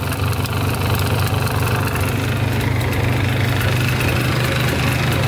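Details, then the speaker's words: Polaris 400L 4x4 two-stroke plowing ATV: steady idle with a light, loose metallic rattle over the low drone; exhaust rattling because its mount is broken and needs welding. "I think that rattly here is the exhaust right here. The mount for it's broken right there. So that needs to be welded up. That's rattling."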